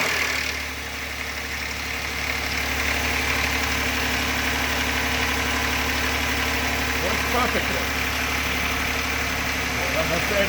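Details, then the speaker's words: Car that sat for a long time with a completely dead battery, started on the first crank with a Tacklife T8 jump starter. A light, quick lifter tapping at idle is heard until oil pumps up to the lifters. "to tap in the engine that to tell you how long this car been sitting because it took time for the oil to pump through and get up to the lifter and that's what that little tapping rattle from the engine was"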